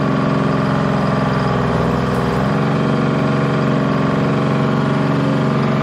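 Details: Bantam C350 crawler crane's Detroit Diesel (believed 3-53) two-stroke, revived after about 20 years parked: smooth even drone with slight pitch dip under boom load via hoist, no knocking or misfires; runs fine.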